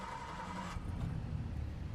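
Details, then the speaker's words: 1959 Jaguar XK150S Roadster, six-cylinder: brief crank, starts on the button and holds a smooth, steady idle with good oil pressure; healthy start, dyno noise in background. "So there we go, on the button. So pretty much warmed up, and nice smooth idle."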